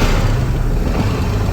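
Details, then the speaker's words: 1956 Century Restorer marine flathead, started after years sitting, choke out and a couple of throttle pumps, run briefly without cooling hooked up: deep steady rumble, no knocks or stumbles; idling smoothly. "there we go yeah perfect now we're not going to let this get too hot we don't have it hooked up to the cooling system right now we just want to verify that the thing's actually running"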